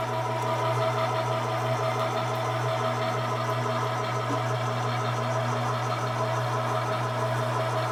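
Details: 1970 Harley-Davidson XLCH Ironhead Sportster, kickstart rigid bobber build, after a blue object was found in the carb float bowl and oil added: steady, even V-twin beat at idle with a loping rhythm, no knocks or misses; runs smoothly.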